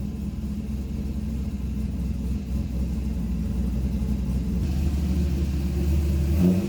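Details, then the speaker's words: C5 Corvette V8 with BTR Stage 3 cam after an HP Tuners remote tune, idling while warming up for a data log: lumpy loping beat about four pulses a second, deep rumble, no misses; sounds much better, AFRs improved. "You guys can hear that it sounds a lot better than it was sounding before."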